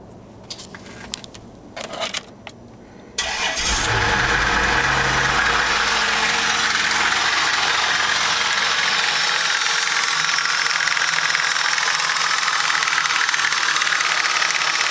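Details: Isuzu 3.5L 6VE1 petrol V6 cranks, catches and idles with a loud, steady knock about four per second; timing belt tensioner already replaced, not the cause; rod knock suspected, not confirmed.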